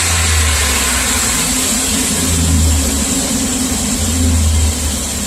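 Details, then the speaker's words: Chevy Express V8, 330,000 miles, with scored number 1 cylinder, after engine restorer treatment, recorded by the tailpipe; deep, even note through mild throttle blips, slight shake, no knocks, running smoothly. "I am pretty impressed now it's I make a liar out of me see things running pretty smooth it's got a little shaky shake there but"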